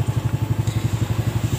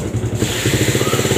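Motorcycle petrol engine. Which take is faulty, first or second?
second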